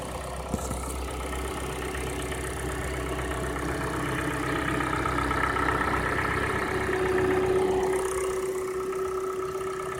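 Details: Cold engine idling with quick regular tapping, about four per second, over the engine note; timing chain slap from a faulty hydraulic chain tensioner, fixed by replacing the tensioner.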